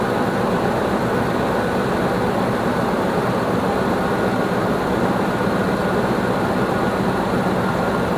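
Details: 2006 Nissan Armada 5.6 V8 (body 185,000 miles) freshly swapped and running after crank sensor replacement: a constant, even idle roar with no dips, misses or ticks. Light oil smoke burns off the exhaust; normal idle.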